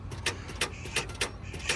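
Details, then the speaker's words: 2016 Hyundai Santa Fe at a police auction, jump box connected: sharp clicks about every third of a second, barely turning over; starter mainly clicking, not enough crank to start. "She initially tried to turn over just a little bit and just mainly clicking for the most part. Got a little bit of a turn out of it, but not enough to uh get it to do anything."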